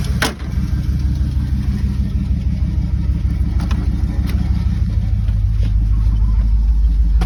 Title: Don’t worry about the ticking sound